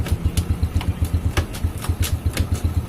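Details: 2006 Honda Supra Fit New after fixing the hard-kick, seized-feeling fault (minor clutch-side problem, not a stuck piston): steady, even low thump about four beats a second, clean healthy idle with no knocks or misses.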